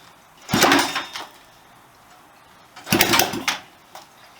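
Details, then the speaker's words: Restored Honda CB125S engine on its first start attempt in years, on choke after fitting the carburettor and fuel system; two sharp kick-start bursts with brief sputters that die without catching, kick snapping back; owner suspects it fires early and ignition timing needs retarding. "back kick you back a bit"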